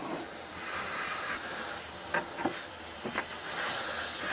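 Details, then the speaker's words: Range Rover L322 front air strut (Delphi original equipment) being removed, air line fitting cracked: steady even hiss for several seconds with light ticks; normal residual pressure venting. "and then of course because it's got quite a lot of compressed air in it, it's going to flow out."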